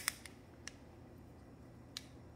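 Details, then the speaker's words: KES shower pressure-balancing cartridge causing water hammer banging in walls: four sharp, irregular metallic clicks as the loose floater strikes its sleeve; fixed by gluing floater to sleeve with two-part epoxy. "this is the nightmare cartridge here you can see and hear floater hitting the walls and that clicking noise will be Amplified and heard loudly as a water hammer"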